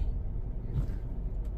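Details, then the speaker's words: CX5 with a check engine light for cylinder 2 misfire and system too lean bank 1, after swapping cylinder 2 and 3 parts, stopped at idle: a short stretch of low, even idle rumble with no stumbles or misses, now running steadily. "' ba steady naman mga katropa yung ating unit so far Okay na"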